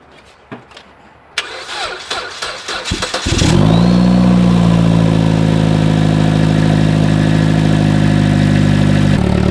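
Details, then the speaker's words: Chevy Cruze at about 104,000 miles, after basic maintenance, a cleaned K&N filter and reset codes; it previously had an erratic, changing idle. Brief crank, quick catch, then a smooth, steady idle with no stumble; sounds healthy. "so far so good the car is running no normal typically we' already be doing that weird idle thing"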